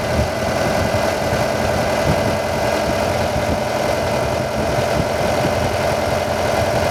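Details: Car with a newly replaced hydraulic pump (BVH model) at idle after bleeding, fluid now clear, regulator valve shut: constant mid-pitched pump hum with light even ticking; pump charging normally as the car pumps itself up.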